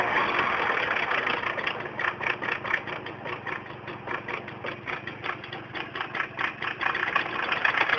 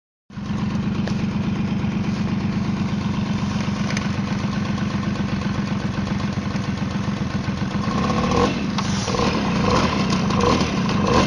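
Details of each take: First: Tomos moped two-stroke idling: uneven tinny rattle about two to three clatters a second over the buzz; clutch rattle noise. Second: Tomos two-stroke moped starts and settles into an even buzzing idle, then revs slightly; no rattle stands out from the clutch side.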